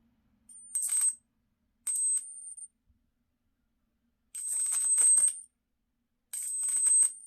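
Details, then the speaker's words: Flyback power supply driven by a 555 timer and MOSFET on an 11.1 V battery: four short bursts of crackling spark over a thin high-pitched whine, roughly 25–30 kV arcs; the MOSFET stays cold and the output is normal. "so that right there is about 25 maybe to 30 000 volts right there it's not bad the mosfet still cold no problems"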